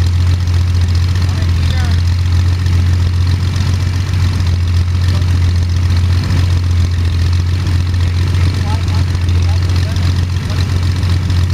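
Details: First start of Jabiru 3300 six-cylinder in plans-built Sonex with Rotec TBI, 50 hours on engine, mixture full rich, oil pressure 42, charging: steady even low drone, smooth unwavering beat, no knocks or misses; sounded really good, normal idle.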